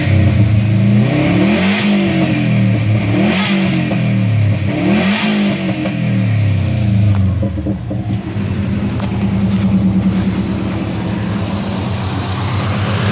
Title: Turbo whine